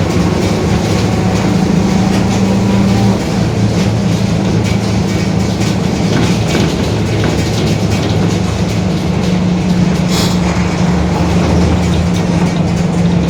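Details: 2021 Marcopolo Torino S urban bus on Mercedes-Benz OF-1721 BlueTec 5 diesel chassis, extended length, diesel at road speed: steady low drone with a faint growl that stays with road speed, worn differential suspected.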